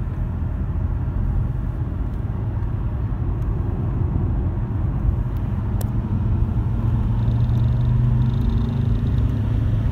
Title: Vibration noise when accelerating